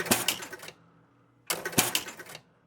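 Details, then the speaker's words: Spirit of 76 electromechanical pinball: two bursts of heavy relay clatter, then silence as only the drop target and rollover relay banks reset; won't start because a slip of paper blocks open a switch contact on the S (start) relay. "Right here's our slip, and it's blocking open a switch contact on the S relay. That's the start relay."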